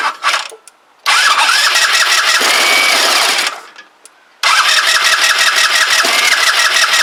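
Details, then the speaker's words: Kymco Agility 125 scooter being revived, just refitted wheel and exhaust, pump feeding carburetor: starter whirs in two long bursts, engine turns evenly but never fires; crank no-start, owner suspects timing is off. "nope she ain't gonna go I wonder if it's time in related we've got the timing us about face somehow"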